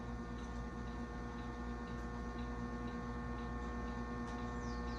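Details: Restored 1937 RCA Victor 85T1 tube radio, first powered up gradually on a variac: constant low buzzy hum with no program sound; hum source not yet traced.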